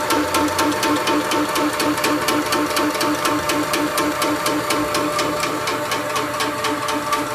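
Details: Shoebox compressor with original 2011 first-generation chain drive, before belt drive upgrade: steady motor hum with a sharp clack about twice a second; noisy chain drive, far louder than the belt upgrade.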